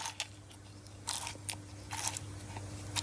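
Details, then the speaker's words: MG ZS / Rover 45 outer CV joint, removed from the car and flexed by hand, most of its grease lost: dry, gritty crunching and uneven click-click bursts; outer CV joint worn out. "hopefully you can hear that doesn't sound very nice at all so pretty knacked"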